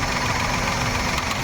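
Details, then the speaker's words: Maruti Suzuki WagonR on CNG, misfiring with poor mileage: fast light tick over steady idle, stopping when the connector is unplugged; faulty number three CNG injector, to be replaced with a second-hand one. "तो यह injector का fold है तीन number का"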